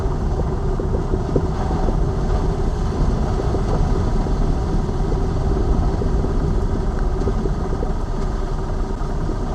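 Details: Lada Vesta Cross over bumps after dealer warranty replacement of front shock absorbers/struts (right SAAZ shock); recorder plus cabin phone; road rumble and engine drone, no strut-top clunk; knocks gone after replacement.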